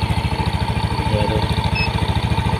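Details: Yamaha NMAX at idle, about 1500 rpm read on a JDiag M200 scanner: steady single-cylinder putter around twelve beats a second, even with no misses or knocks; normal idle.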